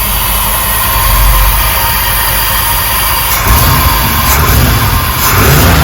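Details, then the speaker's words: 1968 Ford F250 4x4 Highboy 390 FE V8 with Edelbrock four-barrel carb, slightly warm after tuning: revs up cleanly and drops back with no pops or backfire through the carb; alternator bearing needs replacing. "I'm pretty happy with that I'll try it again tomorrow when it's cold on Startup to see if uh if it does backfire on Startup when it's cold but it's certainly not back throwing now which is great"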